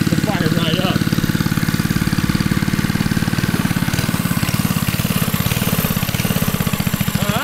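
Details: 1980s Kawasaki mini bike, 3.1 hp Kawasaki FA130 single with brand new 22mm Mikuni carburetor and fuel system: idles with a fast, even putter, about three and a half pulses a second, steady with no misses.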